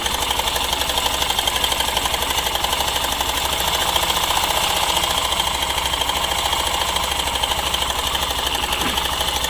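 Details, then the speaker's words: Hero Super Splendor BS6 at 727 km, before first service, idles with a fast dry metallic clatter that begins a few seconds after start; owner suspects a faulty timing chain tensioner or loose chain. "ए पिया आवाज हम इस तरीके से नजर आता है जैसे कि कोई इसका जो टेंशन होता है यह काम नहीं कर रहा हो या फिर टाइमिंग चेंज कर लूज हो गया वह इस तरह का आवाज कर रहा था"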